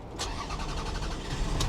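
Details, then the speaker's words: Auction-yard vehicle with 197,000 miles, jump-started with a booster pack: a brief crank catches almost instantly and settles into an even idle with no stumbling; clean, normal start. Low on fuel. "There we go. I told you it'd fire right up."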